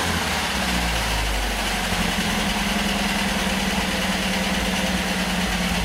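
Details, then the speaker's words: 1977 MGB engine, first run after years off road, about 60 psi oil pressure, distributor temporarily fitted with timing massively advanced: lumpy rough idle with fast light tappet rattle; tappets need adjusting, roughness from incorrect timing. "she's tapity rattle we can adjust the tappets and she's running roughly because the timing isn't as it should be"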